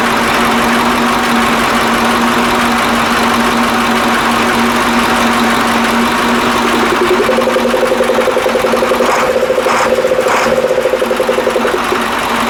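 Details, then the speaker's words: KAMAZ 65225 Euro-2 diesel truck, reassembled after an engine-knock repair, first start: even idle with a steady hum and no distinct injector knock; owner notes only a very quiet metallic sound, from an injector line, after the knock was eliminated. "а короче ребята вроде это нету звука то я чувствую что трубка на тынде дети железный звук но это вообще тихонечко такой"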